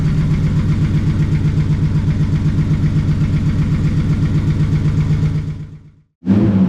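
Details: 2JZ-swapped Chevelle at its first start and idle: a deep, lumpy but consistent exhaust rumble at steady idle with no knocks or ticks; normal idle.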